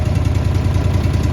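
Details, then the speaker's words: Honda EB11000 generator running on propane from a 20 lb BBQ tank in cold weather, after needle-valve adjustment and with idle lockout engaged: steady, even low rumble at idle. Full speed is about 3700 rpm. "I think I found the sweet spot. Uh I did get this RPM80 here, tachometer. Right now it's idling."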